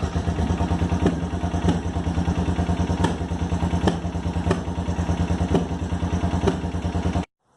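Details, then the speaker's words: 1986 Suzuki Intruder 700 V-twin, after fixing hard-start by tightening a loose bolt: steady, even low thump at idle, no misses or rattles; normal idle. "so all I did was tighten that back up and then started the bike and it started right up for me"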